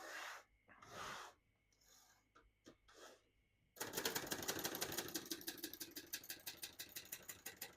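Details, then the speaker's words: 1970 Hermes 3000 portable typewriter, right margin set at edge: quick regular crisp keystrikes about three a second with the margin bell ringing near line end; working normally. "Once you hear the bell, you're at the end of the margin."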